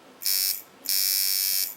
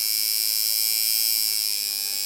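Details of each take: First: Watson coil tattoo machine with an aluminium frame: two short, high buzzing bursts cut off abruptly as the armature pulls down magnetically and sticks, which is blamed on a faulty contact. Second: Watson coil tattoo machine after the contact angle is corrected so it no longer sparks: a smooth, even high buzz with a steady rhythm and no crackle; running properly.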